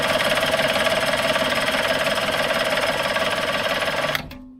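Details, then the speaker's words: Circa-1985 Suzuki 85 hp two-stroke outboard, unrun for 6 years, premix fuel drawn through the carbs: even cranking chug about three per second that never catches; fuel starvation from blocked carb jets. "No go. Try squeezing a bit more fuel through there. Can't smell any fuel on it."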